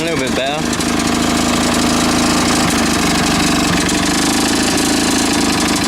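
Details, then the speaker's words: Lawn mower two-stroke with homemade big-end bearing shell, loud buzz with fast ticking about four per second tied to engine speed; owner unsure, suspects something else in the engine, wrong spark plug, or the blade; ticking noise. "no no that ticking noise he's something else in the engine or not maybe the wrong spot plug in it I don't know"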